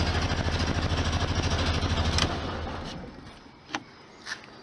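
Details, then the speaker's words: 1973 VW Super Beetle air-cooled flat-four after valve cover gasket and oil/filter change: it chugs steadily at idle, then dies cleanly within a second of switch-off with no run-on or dieseling; clean shutdown. "of course you got to be able to turn it off and have a not diesel"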